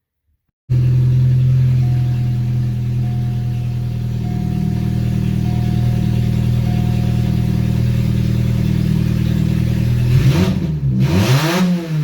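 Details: Astra, exhaust manifold just reinstalled, fired up with the downpipe still disconnected to check timing: loud, raw, unmuffled idle that settles, then barks through two quick revs; some smoke, likely oil burning off. Exhaust open at the downpipe.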